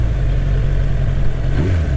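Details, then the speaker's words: Motorcycle after running half a tank with a whole bottle of Sea Foam: deep, steady, even rumble with a clean throttle blip, no stumbling or misfire; no longer running weird, engine sounds healthy. "yeah it's not running weird at all anymore sounds really good sounds like a happy bike"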